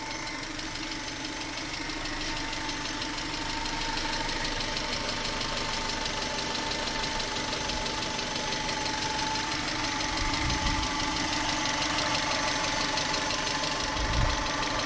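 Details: 1996 Subaru Legacy Outback 2.2L EJ22E petrol flat-four, 165k miles, idling with light steady tick about three a second, equal both sides, cold or hot, speeds up with revs; appeared near last oil change with different filter; owner suspects injectors or valves.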